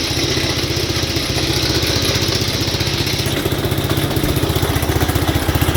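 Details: 1967 Gravely 430 sat outside for years, after clearing debris from the ignition points, running while testing drive: steady single-cylinder run about four beats a second, even firing; engine good, transmission has no forward or reverse in high.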